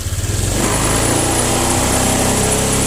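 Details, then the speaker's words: Honda Vario 125 injection scooter after fixing throttle delay, which was caused by the throttle and sensor not working together because of a hook: pulses at low revs, then picks up promptly to a steady higher drone; no delay now. "oke oke sudah tidak ada delay"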